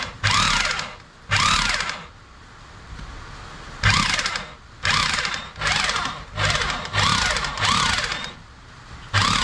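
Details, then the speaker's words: Ramset rotary jack hammer after piston repair, test run: repeated short bursts of loud, even motor whir with steady hammering under each trigger pull, no grinding or misses; working normally. "repair the hammer basically the Piston problem so no sweet no pound BR is not cont you can hear sound very healthy"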